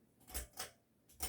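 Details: Basic ceiling fan on high speed with the light off: paired glassy rattles about once a second in a quiet room as the fan's wobble shakes the loose light globe.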